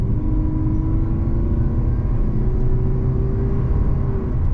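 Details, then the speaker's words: Fifth-generation Toyota Prius hybrid, petrol engine with electric motor, 223 hp combined, under acceleration: deep steady engine drone, faint tone creeping up as revs hold long; normal Toyota hybrid engine noise. "आप देखेंगे कि हमारे पास हमेशा Toyota engine की तरह यह शोर होता है या गति बहुत लंबे समय तक रह सकती है जब तक कि आप दबाव"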